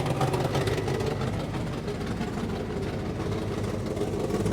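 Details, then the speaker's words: 1958 Mercury Montclair Turnpike Cruiser, sitting since about 1994, after fixing a backwards-installed carburetor accelerator pump. Starts right up and settles into a low, steady idle with no misses. Normal idle. "leverage facing the correct way now towards the linkage good starts right up sounds good"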